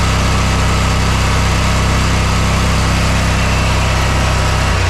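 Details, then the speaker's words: Mower engine at no load, checked with inductive tachometer on the spark plug wire: about 3,840 RPM against a 3,750–3,800 spec; smooth, even high-speed hum, governed speed normal after repair. "so it's around 3840 I'm not going to complain over that that'll be fine that won't do any damage to the engine but the the RPMs are right where they need to be so I'm happy"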